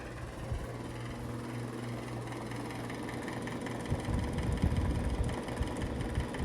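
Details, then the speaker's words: 2011 mini-split found in a home inspection: low hum with rough, uneven rumbling from the blower unit that grows loud at startup and calms after about 2 minutes. The cause is unclear. "but when you turn it on it's got a loud noise from the blower unit uh when it first kicks on and then like after about 2 minutes it kind of shuts off"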